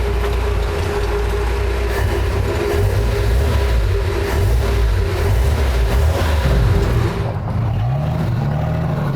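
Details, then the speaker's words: 1966 Ford F100 V8 with new parts-store exhaust and Thrush glass pack muffler: deep, steady rumble with even low burble and a mild rev near the end, much quieter than before; smooth, healthy idle. "Much better. Now I can drive this thing."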